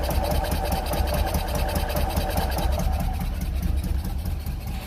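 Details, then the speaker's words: Single-cylinder engine with valve covers off, just started on choke and key, caught instantly: steady, even thump at a quick idle with no misses or knocks; sounds like good compression, running healthy. "that didn't take much at all sounds like they have good compression"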